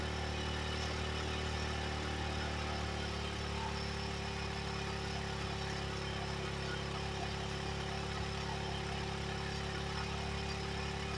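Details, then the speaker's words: 1985 Yamaha Moto 4 after the old carburetor was replaced with a new one: steady, even idle with a smooth low beat and no misses, stumbles or knocks; running quietly and normally. "But she is quiet. I mean, she's like running. I've never seen her run like this."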